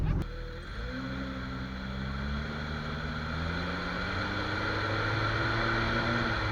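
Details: Jeep XJ after dry lube was sprayed on the cracked front axle shaft u-joint, which was identified as the noise source. Pulling away, the engine note rises smoothly over road hum with no clicks, clunks or squeaks from the front end.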